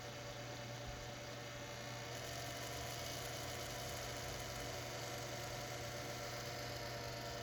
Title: Computer Grinding Noise